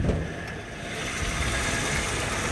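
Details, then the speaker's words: 2003 Toyota Kijang LGX, gasoline EFI engine, idling and heard at the open engine bay: steady, even idle with no knocks, ticks or misses. The engine sounds smooth and is judged ready for long trips. "Pokoknya suaranya tidak ada yang aneh-aneh untuk mesinnya halus. Pokoknya untuk mesinnya siap luar kota, siap buat luar Jawa, siap, Lur."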